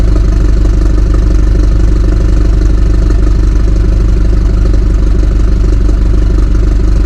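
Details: 2018 BMW 430i Gran Coupe F36, B48 four-cylinder with exhaust mods, cold start: steady, deep, even exhaust burble at a slightly raised idle with a rhythmic pulse, no knocks or misses; sounds healthy.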